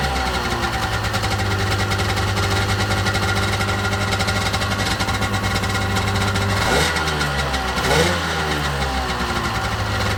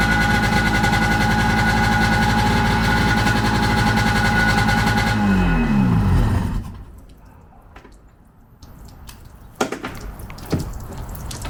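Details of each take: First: 1995 Sea-Doo GTX two-stroke after exhaust leak repair with new gaskets and RTV, started on choke: steady burble with quick throttle blips rising and settling cleanly, no leak or misfire; running good. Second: 1995 Sea-Doo GTX two-stroke running on the flush water hose: raspy popping with sharp chuffing over the exhaust note, then shutdown; exhaust leak found between exhaust manifold and pipe, later fixed with new gaskets and RTV.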